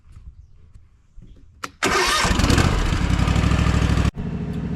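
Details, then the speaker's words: Gravely ZT HD-48 zero-turn, Kawasaki FR691V V-twin, 104 hours, started to warm up before an oil change: brief crank, catches at once, settles into a steady, even idle with no misses or knocks. Normal start-up and idle. "So, I'm going to go ahead and let it run for a little bit. I just started it up and moved it out here"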